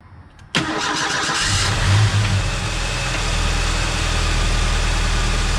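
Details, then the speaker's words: Ford Mustang SVO after changing NGK TR-5 to TR-6 spark plugs to fix a misfire: cranks, catches quickly, settles into a steady even idle, way smoother than before. "That is way smoother. That is way smoother. Okay, so we'll see if that fixes it. It's running a lot better now."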